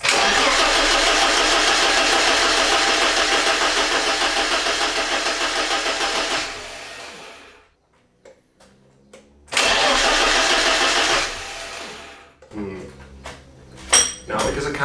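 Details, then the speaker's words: BMW E30 316 with the M40 petrol engine, first start attempt after about 18 months: oil pressure light goes out, but it cranks fast repeatedly without firing; fuel pump wiring is suspected. "the fuel pump I'm now thinking have I wired that up correctly so before I keep cranking over and kill this battery"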